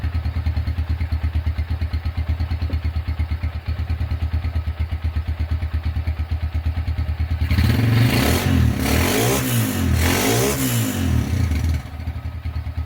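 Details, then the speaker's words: Honda Tiger single-cylinder engine after restoration, first start, broken exhaust bolt repaired and starter cable replaced: even thumping idle about three beats a second, then a few crisp revs returning cleanly; runs smooth and healthy. "oke itu dia eh hasil suara atau hasil menyalakan suara mesin Honda Tiger dan sesuai harapan suara mesinnya halus"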